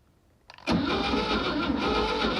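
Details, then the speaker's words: 1960 Grumman Olson curbside van pulled from a field, downdraft carburettor: after a quiet moment the starter engages and the engine turns over freely and evenly with apparent oil pressure, so it is not seized and cranks normally. "okay so we got this thing turning over by a starter and uh that's a good sign starter works engine's not locked up and uh it seems to be getting oil pressure it sounds good"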